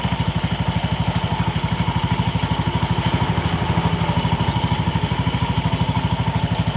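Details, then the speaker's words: Honda Beat scooter CVT revved: steady knocking "gelak gelak" rattle about three per second under the engine note; worn variator rollers and a loose roller housing. "Nah, oke guys, ini teman-teman bisa dengar ada suara geludak gitu waktu digas. Di sini itu juga kedengaran suara gelak gelak gelak gelak."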